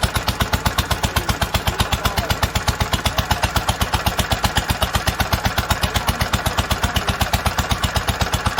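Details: 1946 International Harvester LBB 3-5 hp water-cooled single-cylinder engine, first cold start after long storage, choked: steady even chuff about four beats a second with crisp valve clatter, no misses or knocks, normal running.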